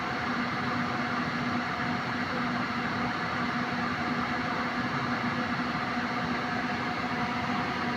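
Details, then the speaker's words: Suzuki multicab (D17) aircon compressor, complaint was a noisy, rattling compressor: after servicing it gives a steady, even hum with no knocking or grinding at about 175 pressure, cycles off automatically, and cools strongly. Running normally. "So dito normal yung bomba niya. Yan normal ito normal 175 mag-automatic"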